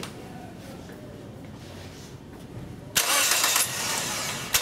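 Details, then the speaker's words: 2003 Toyota Echo, four-wire coil-over-plug ignition, starts and settles into an uneven idle from a constant cylinder 4 misfire (P0304), before cylinder drop test; fix was replacing the #4 ignition coil. "it is a cylinder number four misfire detected p304 so there's your s of the code and what we want to do because this is a constant Miss we can hear it we can feel it"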